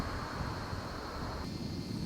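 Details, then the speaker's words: 1995 Ford F-250 4x4 V8 running after replacing a failing idler pulley and cracked serpentine belt: low steady hum, no chirp or bearing growl, belt drive now quiet. "well got the uh idler pulley all tightened down and everything and as you can see that's much more quiet like it should be that'll last a long time"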